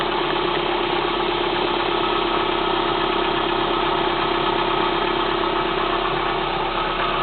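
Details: Kia Spectra 1.6 engine at cold idle: rapid, fairly regular ticking knock, about three to four per second, over the engine drone; cold engine knock.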